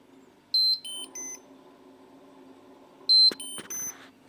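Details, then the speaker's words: Refrigerator alarm repeating a three-note beep about every 2.5 seconds over faint hum, door open or closed; silenced by unplugging the black-and-white buzzer wire under the top cover. "Regardless of whether the door is closed or open, it beeps all the time"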